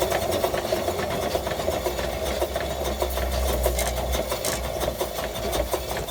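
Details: 1915 Stanley Steamer Mountain Wagon engine: quick, regular light tapping once per revolution over busy mechanical clatter, rising and falling with engine speed.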